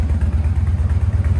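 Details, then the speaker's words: Engine that had been sitting: deep, even, lumpy idle rumble with steady low thumps and no knocks or ticks; normal idle. "let's hear this thing again man let's see yes sir man you hear that rumble in the jungle dog"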